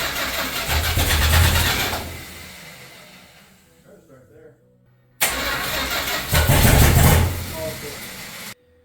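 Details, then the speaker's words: Stock camper-sourced 440 Mopar big block in a Chevy K10, just fitted with a big aftermarket cam: two spells of steady starter cranking with no firing or catch. Timing was rechecked and adjusted, owners unsure if it's flooded; cranking no-start, cause unclear. "We checked the timing again, and everything should be spot on, so it should start, but I don't know, we're kind of stumped at this point. It should have fired right away, but try it again, I guess."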